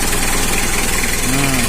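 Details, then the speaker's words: Mitsubishi L300 diesel, which had been hard to start, idles with an even clatter and no stumbling or misses after the diesel pump was cleaned and the fuel filter opened, ahead of a second tune-up; starts right away, healthy idle. "Langsung jos ini guys, nggak ada memel mantap."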